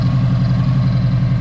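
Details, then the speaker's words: 2002 Subaru WRX idling with lumpy, uneven low beat and odd stumble, still misfiring slightly; owner suspects a missing injector plug, not yet confirmed. "sounds like a Subaru with a straight pipe to me like I said it's still misting a little bit I gotta get that plug put on there and maybe that'll solve it"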